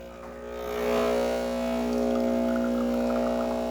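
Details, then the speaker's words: Breville Barista Express espresso machine after a full service, final test shot: steady, even pump drone with a constant low hum and no rattle or surging as the gauge climbs into the 8–11 bar range; normal pump operation. "And there it is. As you can see, it goes into that 8 to 11 bar-ish scale."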